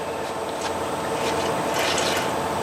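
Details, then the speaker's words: 2011 Ford Edge Limited FWD, rear hub turned by hand during replacement: dry, gritty rasping growl rising with each push; the rear wheel hub bearing is worn. "yeah you can hear that wheelberry so we picked the right wheel bearing it is this right one"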